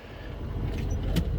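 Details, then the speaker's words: 1974 Ford F100, stock engine with truck cam, straight piped yet quiet, idling about 600 rpm, manifold vacuum 20-21, slightly lean near stoichiometric, after roadside ignition repair: steady low idle with even lope. Normal idle. "And just check out the manifold vacuum on this guy. I mean, we're idling at like 600 RPM, right?"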